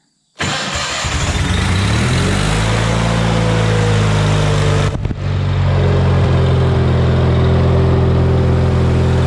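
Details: Hobart welder generator engine from a scrap yard, unused for years, after main and idle jets replaced: catches right away and settles into a smooth, even idle, briefly stepping speed midway as the electronic idle-up is tested; healthy steady idle.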